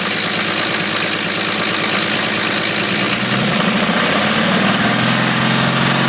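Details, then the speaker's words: 1980 International Scout II with factory Nissan SD33T turbo diesel, first run after rebuild, still cold at a high idle settling down: a loud, rough, uneven clatter, louder than others seen; the owner wonders if the cam is to blame, cause unconfirmed. "that's what it sounds like it's pretty loud compared to some of the others that I've Just Seen on on YouTube um not sure if that's because of the cam or or what the deal is"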